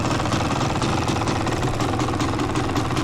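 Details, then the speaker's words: Yamaha YZ250 two-stroke idling after a Fisch Moto electric start install, no leaks: crisp, rapid, steady burble with an even beat, no rattle or hesitation; sounds like it's supposed to. "I think everything sounds like it's supposed to sound. I like it."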